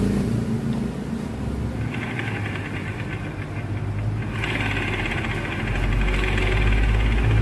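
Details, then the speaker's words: Honda Scoopy injection ("ban donat") automatic scooter final drive: low rough drone with coarse hum rising with revs, persisting after replacing ratio gears, counter gear, shaft and bearings; worn final drive gearbox housing suspected, doubled or tripled gasket used as workaround. "Nah ini udah kita ganti semuanya, rasionya, gigi counter dan aspuli, lahar, tapi suara belum hilang juga ya, agak pusing ya. Kemungkinan ini adalah penyebabnya bak atau rumah gerdangnya itu yang haus."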